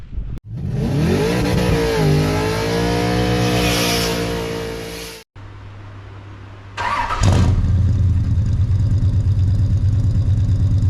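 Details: Ford 302 small-block V8 idling with an uneven, loping beat, a misfire. Checking each header with a temperature gauge found one over 200 degrees cooler, indicating a dead cylinder.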